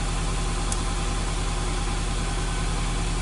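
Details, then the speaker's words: 2003 Toyota petrol engine idling, heard in the vehicle, with a low, uneven pulsing beat and lumpy stumble from a cylinder misfire. Codes P0200/P0201 injector circuit fault, with power loss. "right and here in the vehicle like it's stumbling on itself"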